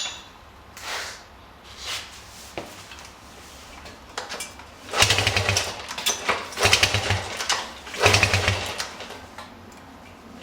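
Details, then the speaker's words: 1973 Honda CB100 after replacing spark plug, plug wire, coil and points (weak spark, hard start): uneven coughs and surges through throttle blips, sagging between, never settling to idle; still running rough, cause unconfirmed. "Definitely didn't solve all my problems."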